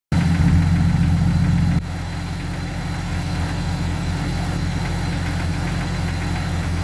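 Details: Jeep XJ 4.0L inline-six idling with a light, fairly regular knock about three to four a second under the low drone; owner suspects piston slap, likely cylinder 6, possibly 5.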